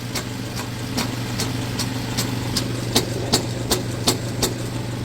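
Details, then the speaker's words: 2015 Jeep Cherokee at idle, under car on lift: sharp metallic tick-rattle about three times a second from loose exhaust near flex pipe; broken exhaust bracket and broken flex plate, worn motor/transmission mount suspected. "you'll see right here we've got a broken bre it so we've also got a broken flux plate"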